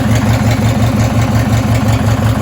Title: Rod knock, probably going to blow up the race mower